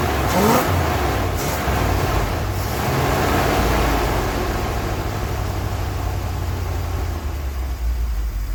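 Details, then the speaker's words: 1980 ramp truck, 351M V8, running after ~25 years sitting: short rev, then deep, steady rumble settling into even idle with no knocking; engine sounds healthy. "All right, so there you have it. It is sitting here idling, and I don't hear any knocking."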